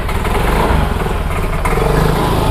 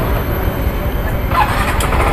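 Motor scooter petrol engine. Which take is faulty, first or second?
first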